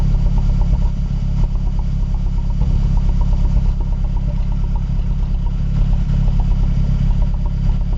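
Cold idle sounds lumpy and uneven, with irregular stumbles in the deep engine rumble, about a hundred a minute; rough idle. Cause suspected, not confirmed.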